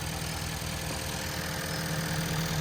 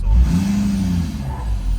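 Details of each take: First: 2011 Ford F-350 6.7 Powerstroke diesel, pinched CCV hose found, hose refitted: steady even idle with low regular chatter, no knocks or hiss, no excess crankcase pressure; normal idle. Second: 2011 Ford F-350 6.7 Powerstroke diesel burning lots of oil, blowing white smoke with oil cap on: deep rumble climbs sluggishly when revved, sounds held back as if the turbo isn't free-flowing; restriction, cause unconfirmed.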